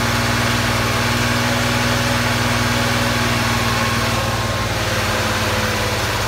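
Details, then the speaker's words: 1980 Porsche 911 SC, first start of freshly built engine after building oil pressure; smoke from drips of a loose oil return line: smooth, even idle, steady low drone, no knocks or ticks; normal idle. "around sounds like a new car boy there's no kns in it"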